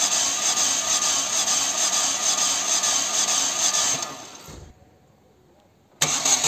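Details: Chevy (Corsa) 1.6 after timing belt replacement, injectors and coil disconnected: steady starter cranking with even compression pauses, about three per second; compression present and healthy.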